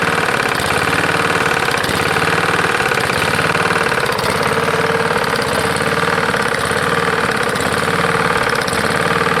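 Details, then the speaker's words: Lawn-Boy 149cc walk-behind mower found at roadside: loud uneven knock about once a second while running, not louder with bail pulled in; cause unknown, oil drained black without visible metal. "sounds like it's got quite a knock so when you pull this in nothing gets louder so i'm not quite sure"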